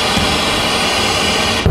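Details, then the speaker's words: Pioneer SX-6000 receiver with weak FM left channel: steady hiss, then a single dull low thump as the band switch leaves FM and the noise drops away; noise is ahead of the power amp, in both channels, traced to the FM circuit. "and out of FM. So our noise is coming from the FM, and I'm going to show you where I think it is, and then we're going to take a look at that circuit."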